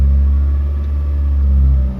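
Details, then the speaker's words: 2006 Honda Fit, L13 automatic, with a coolant temp sensor fault and intake air temp code, the coolant reading cold on live data: a deep, smooth idle held high, with a brief dip. Idle is abnormally high in drive and normal in park. "Mataas yung idle niya ag Nilagay ko sa drive Hindi yan dapat ganyan"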